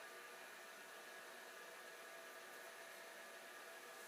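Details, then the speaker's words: Old hard drive switched back on after a shorter-than-expected spin-down, owner wondering if a drop of oil is needed: quiet, steady whirring hiss with faint constant whine, spindle up to speed; normal spin. "yes, it is spinning. Well, this is encouraging."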